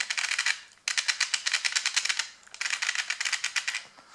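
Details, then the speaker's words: Brand-new Tamiya TBLM-02S 15.5-turn brushless motor with a TBLE-02S ESC in a Comical Frog WR-02CB, correct pinion fitted: fast dry rattling bursts at low throttle; it sounds fine at high RPM, and the owner is unsure whether it is normal or a defect. "On higher RPM it sounds good. It really sounds strange on slow RPMs. Is that feature from the brushless motor or is it a damage?"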